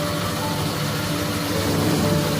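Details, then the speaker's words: Honda Vario 125 scooter at idle: steady idle with a rough snoring growl, caused by a loose radiator fan; the fix was tightening the fan bolts. "Ini yang bikin suara ngorok karena oblak, kipasnya oblak."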